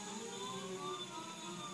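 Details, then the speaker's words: TB6560 3-axis stepper driver board with Mach3: three stepper motors run together, driving the Z axis to 10 in a circle-cutting routine, giving a steady whir with even shifting tones and no skipping or grinding; normal stepper motor operation. "and you can hear it our three motor worked just as we expected and have you hear the song that's very interesting very great and you can see our motor just worked as fine as we expected"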